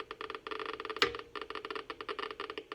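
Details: Geiger counter next to a radiation source with a sheet of paper blocking the alpha particles: rapid, irregular clicking, several per tenth of a second, at an unchanged rate, so other radiation still gets through.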